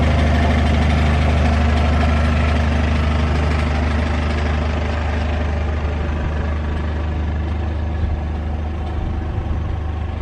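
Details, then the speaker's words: 200k-mile BMW E46 320d Touring, M47 diesel, warm idle at operating temperature: deep even beat with a light tinny rattle on top; the engine itself sounds pretty good and there is a known exhaust leak, downpipe flexi suspected. "Okay, so the actual engine then, as you are about to hear, sounds perfect. The rattle that you can hear is the exhaust."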